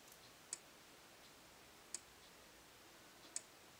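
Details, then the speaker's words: Faraday 6120 horn/strobe fire alarm (80s or 90s strobe) during test: only a sharp faint tick about every 1.4 seconds, no charging whine between flashes, slow flash rate; normal strobe flash click. "sounds like a uh later strobe like sort of like what they sound like today little no noise to them at all except that click awful slow flash rate though"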